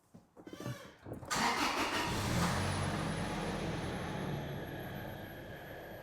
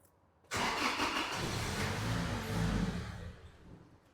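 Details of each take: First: 2006 Toyota Tacoma 2.7 (P0171 system lean), suspected-fake replacement MAF swapped for a genuine Hitachi Toyota MAF: short crank, then the engine catches cleanly and settles into a steady, even run with no stumbling; healthy start. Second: 2006 Toyota Tacoma 2.7, lean (P0171), with a new Hitachi MAF reading 0.9 g/s: engine catches at once, runs briefly without settling to steady idle, then fades and dies; stalling from faulty MAF sensor.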